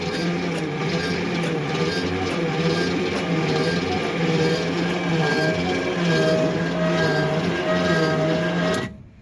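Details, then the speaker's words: 1955 Dodge Super Red Ram Hemi, 70 years old, cranked after a week soaking fluid past the rings with key off: harsh grinding squeal over slow uneven cranking about four beats a second; owner suspects old starter on flywheel. "Well, that's kind of weird sounding. Yeah, it was kind of starting to sound weird."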